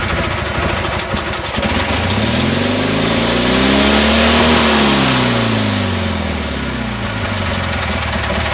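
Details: Craftsman GT6000 riding mower, Kohler V-twin, after fuel pump replacement, carb rebuild with homemade bowl gasket and new air-swirl attachment: loud, steady running, revs up smoothly and settles, no misses; normal running, higher RPM than before.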